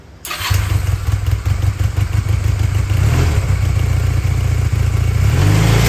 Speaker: yes all right guys so the go-kart works